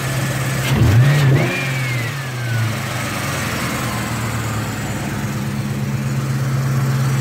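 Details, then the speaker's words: Car just after oil change with 6 quarts full synthetic and intake manifold gasket replacement: engine blips and settles to a steady, even idle, no valve chatter or top-end ticking; oil pressure good, running normally. "I don't hear any valve chatter. I don't know what you can hear on the camera, but there's no valve chatter."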